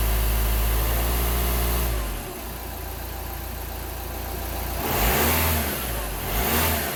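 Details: Seat Exeo diesel (shared platform with Audi A4 B7, VW Passat B6, Skoda Superb Mk2) after fixing DPF blockage and pressure-sensor faults P2453/P2452/P2002: engine cranks, catches, settles, then revs up and down cleanly with no misses or knocks; warning lights off, healthy.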